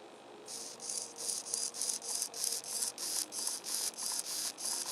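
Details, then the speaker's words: RC plane rebuild, newly fitted elevator servo: short high-pitched rasping buzz bursts about three per second as it sweeps, a grinding sound unlike the normal-sounding rudder servo. "it's making almost like a grinding sound now listen to the road that sounds normal this doesn't do the other one"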